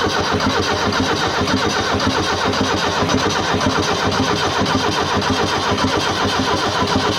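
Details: Abandoned Fiat Hitachi FH150 excavator diesel with reported engine problems: steady starter churn with rhythmic compression pulses, almost catching but never firing; cranks without starting.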